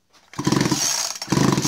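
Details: Husqvarna 51 chainsaw bought early 1990s, stopped running while cutting firewood; spark plug out and grounded to check spark, two quick rasping cord pulls with no firing or catch; cranks but won't start.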